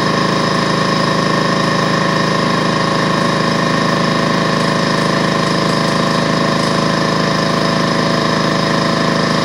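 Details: DeWalt 4.5-gallon air compressor after no-start repair, cord good: loud, even, rapid pumping chug with steady motor drone, no knocks or misses, building pressure toward the 200 psi cutoff with output regulated to 100 psi; healthy normal running.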